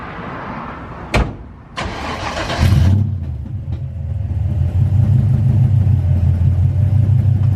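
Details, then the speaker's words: Foxbody Mustang V8 at startup: cranks and catches, then a deep lumpy idle with a raspy puffing edge from an exhaust leak; a small fuel pump is also audible. "as you can tell you can probably hear that exhaust leak it sounds really nasty"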